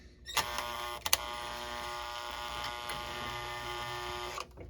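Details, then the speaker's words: Marx toy locomotive, motor under test and trying to pull: thin high whine with faint gear buzz, low and laboured as if dragging; tight, binding motor. "actually trying to pull if the motor wasn't so tight"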